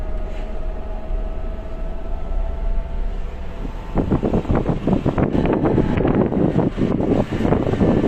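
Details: New Suzuki Jimny in low range: a faint steady whine over the drivetrain while accelerating and decelerating, then rougher clatter takes over; a transmission whine, likely from the gearbox or transfer case.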